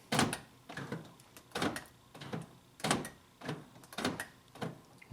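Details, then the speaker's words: 2000 Honda Civic LX sedan, left rear power door lock not popping up and down, works only sometimes; dull uneven clunks about twice a second as lock switch is cycled; failing door lock actuator. "got this 2000 Honda Civic LX the left rear door lock isn't working properly right there it's not popping up and down sometimes it is but most of the time it isn't"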